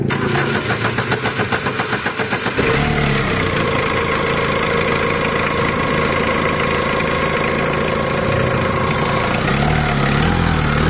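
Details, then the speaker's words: Mitsubishi Adventure, engine started after the power steering and water pump were hand-checked with no play or roughness: steady idle with a thin whine and light rattle from the front end. The timing belt bearings are suspected, and the timing belt and its bearings need replacing. "Kaya ang gagawin ko dyan, pa-start ko na itong makina. Pwede pa kasing panggalingan ng ingay yung mga bearing dito sa timing belt niya."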